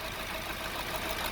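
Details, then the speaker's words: 2009 Honda Civic 1.8 16V with lack of power, engine noise and high fuel use. At idle it runs rough and uneven, and rpm drops almost to stalling when the coil is unplugged; a cylinder misfire suspected from a chronic fuel injector defect. "oca uma rotação caiu quase morreu o motor então quer dizer tem grande chances o defeito tá nesse porque é como ele é o cilindro gêmeo"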